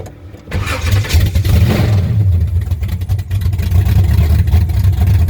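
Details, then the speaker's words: 1963 Chevrolet Impala 468 big-block V8 with 632-lift cam, first start of the year, no exhaust fitted yet (Flowmasters planned): loud raw lumpy cam idle straight from open headers; open exhaust. "Gonna get the exhaust put on it real soon so it won't be making all this noise."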